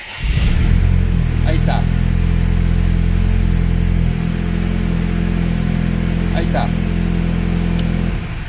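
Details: 2004 Dodge Stratus 2.4 after its damaged engine computer was replaced and programmed, immobilizer light now off: engine cranks, catches within a second and settles into a steady, even idle with no knocks or misses.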